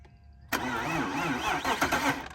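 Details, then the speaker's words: BMW E46 engine after an engine fire, oil still holding antifreeze sludge, cranked on battery: starter spins it freely and evenly for about two seconds without catching; not seized, turns over but no start, smoke seen. "It sounds like it would start. It's not locked up."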